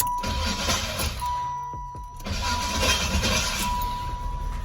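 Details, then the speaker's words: Impala SS (LT1) starter grinding while cranking, a rough gritty grind with uneven clatter, then the engine catches and runs quietly; owner suspects the starter needs shimming, as it wasn't doing this before. "the starter's starting to grind. So think I might have to shim the starter, but the car starts up."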